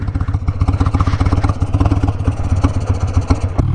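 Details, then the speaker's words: Harley-Davidson Sportster 883 carbureted V-twin on a short ride, engine still not warm: uneven, lumpy firing that surges and stumbles on throttle; rough running when cold, owner suspects a dirty carburetor jet, carb not fully cleaned. "still not quite warm yet as far as what it is they don't run too bad I still think it might have a dirty jet"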